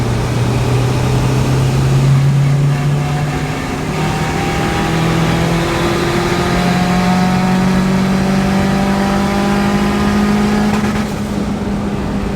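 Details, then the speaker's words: Junkyard-engine car in third gear under load pulls then breaks up near 6,500 rpm, like fuel cut or spark blowout. Plugs were changed twice; a crank position sensor is suspected, with a new OEM unit on hand. Not confirmed. "we are having a problem where under load on the high rpm around 6 500 it's starting to break up it almost sounds like it feels like like fuel cut or the spark blow out"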